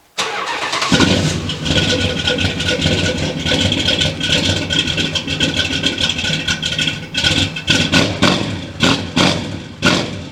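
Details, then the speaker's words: V8-swapped Dodge Dakota, first start after swap with newly fitted exhaust: cranks and catches quickly, settles into lumpy idle with sharp throttle blips, no knocks or rattles; sounds healthy. "oh that sounds real good"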